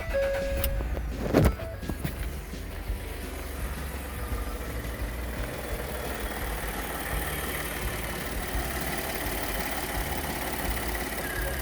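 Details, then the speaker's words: Ford F150 EcoBoost engine just restarted after replacing a part behind a large vacuum leak: cranks, catches and idles smoothly with a faint high belt squeal from a slipping belt, to be fixed with belt dressing. "Got a little bit of belt squeal, but that's an easy fix. Put a little bit of belt dressing on that, but man, this thing runs real smooth."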